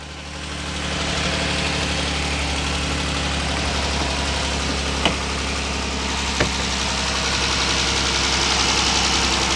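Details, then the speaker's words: 2012 Dodge Durango 3.6L Pentastar V6 at cold start first thing in the morning, idling; light, fast, steady valve train tick that persists after oil reaches the top end. "i do hear some ticking but that's your typical coal oil gotta make its way back up to the val train type tick oh it's still there"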